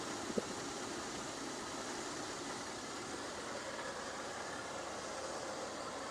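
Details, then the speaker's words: 1987 Lincoln Town Car 5.0L Ford EFI, revived after sitting almost a decade; steady even idle with soft hiss, no knocking or vacuum leak heard, after reseating a corroded sensor connector smoothed the idle; normal idle, no knock. "It don't sound too bad, right? Motor sounds good. I don't hear any knocking."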